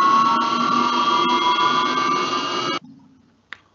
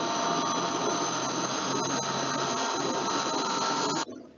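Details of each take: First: you can notice that when it's yelling we keep in mind that we are always speeding up the water so there is a a critical speed where we really can hear this tonal and yelling noise Second: Electric motor after bearing replacement: smooth, even hum with a few faint steady tones and no grinding or crackle; the spectrogram shows no red spots and the motor is noise-free.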